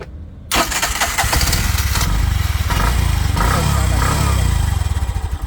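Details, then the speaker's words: Bajaj auto rickshaw engine with an earthing problem, after tightening the loose earth-connection nut: starts promptly and settles into a steady, even single-cylinder putter at idle; normal start and idle after repair. "Just ಇದೊಂದು nut tight ಮಾಡಿದ್ರೆ ಗಾಡಿ ಸರಿ ಹೋಯ್ತು"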